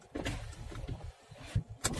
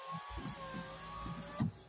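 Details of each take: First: Opel Cascada convertible, petrol, automatic, right door: power window motor running with uneven rattly clunks as glass moves, noise also heard over bumps; cause found as loose screw inside the door panel: door window rattle. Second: Opel Cascada convertible, after the door rattle over bumps was fixed by tightening a screw: window motor whines steadily and smoothly, ending in a clean stop thump as the window goes down and up normally.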